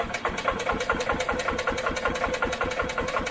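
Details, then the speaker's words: 1986 EZ Go Marathon golf cart, two-stroke with oil injection deleted, running premix, choke on: even starter cranking about two and a half pulses a second, never catches; no start, fuel not reaching carb bowl. "choke up and it should be helping pull pull some fuel through"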